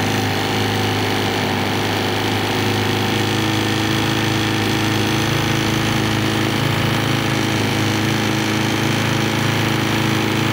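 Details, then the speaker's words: GY6 scooter engine on a bench test, started with the trigger wire feed connected. A steady, fast single-cylinder putter holds an even idle with a constant buzzing tone and no misses; the engine runs normally. "yeah all right well we know it'll run"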